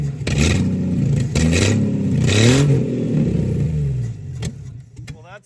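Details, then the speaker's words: 1963 Plymouth Valiant slant six surges unevenly under throttle, then sags and stalls on release; only stays running with choke held on, no idle; rough running, cause not yet found. "It kind of sort of runs okay as long as you hold the choke on, which is, you know, typical slant 6 stuff if you've ever experienced the Holly 1920."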